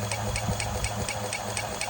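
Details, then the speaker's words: Electric hub motor wheel, previously squeaked when rolled: sharp regular knocks about four a second over motor hum, in time with wheel rotation, worse at higher speed; owner suspects slightly bent brake disc, cause unconfirmed. "При эксплуатации появился вот такой стук. Раньше был писк, когда его катишь просто. Сейчас появился вот такой стук."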